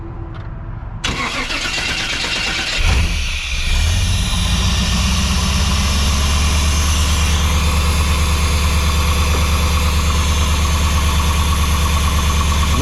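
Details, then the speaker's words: Off-road buggy "4 Lug Thug" started after installing a fitting to check for leaks; brief cranking, quick catch, then steady even idle with no misses or knocks, no leaks, sounds good; normal start and idle. "Anyway, it works. That's a plus. Something works. Sounds good."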